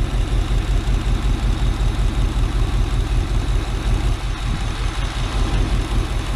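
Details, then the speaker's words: 1987 Chevy Suburban, third swapped engine, not run in 5 years, timed by ear: rough, loping idle with uneven exhaust beat and recurring stumble; misfire on driver and passenger sides, plug wires suspected, distributor advance may need adjusting. "it's the third motor yeah it's got a Miss I don't know if that's a plug wires or what we're going to have to sort that out passenger side miss too"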